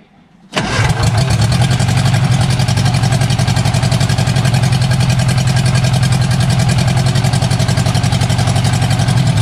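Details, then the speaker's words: Barn-find Austin-Healey Sprite engine, chokes held, ignition hot-wired: catches and settles into loud, raw, open-sounding idle with sharp pulses; no exhaust fitted past the manifold yet. "actually it sounds not too bad it does not have any exhaust on it right now it just has just the exhaust manifold"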